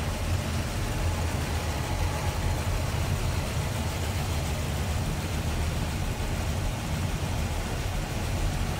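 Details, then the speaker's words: 1965 Dodge Dart convertible, V8 with 4-barrel Carter carb, heard with hood open in the engine bay: even, steady idle with a deep, smooth rumble and no knocks, ticks or misses; a smooth runner. "Again, 4-barrel on there, Carter carb. Pretty smooth runner."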